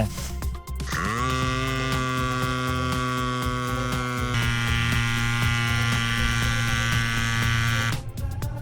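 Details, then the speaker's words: Electric bicycle mini pump (inflator) running after power-on and setting target air pressure; loud, steady high buzz from small motor and pump at even pitch, normal operation. "Turn on the power, adjust the air pressure you want to put in, and press the power button again (the noise is quite loud)."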